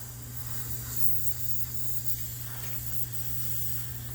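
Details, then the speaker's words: 18-year-old heat pump, almost flat on charge, heard while refrigerant was being added with the other units off: a steady thin hiss over a low electrical hum. Refrigerant is leaking from underneath an elbow fitting, with what looks like frost at the leak. "let me zoom in for y'all that can't see it's actually leaking from underneath this elbow and that's a frostbite looks like"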